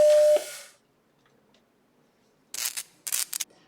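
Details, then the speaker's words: Sony 800k double-sided double-density auto-inject/auto-eject floppy drive from a Macintosh Plus, after cleaning, lubrication and eject motor gear replacement: short tone and hiss, then crisp whirs and clicks of eject working cleanly without grinding; normal eject. "let me demonstrate what the eject sound sounds like after changing to a different gear"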